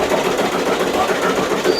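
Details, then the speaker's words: Voltas window AC running: fast busy clattering rattle because a broken condenser fan blade strikes the inner housing; blade to be replaced after moving the coil aside. "देखिए, ये इसकी पंखड़ी जो है टूटी हुई है, ये इसकी वजह से इसमें खड़खड़ की आवाज़ आ रही"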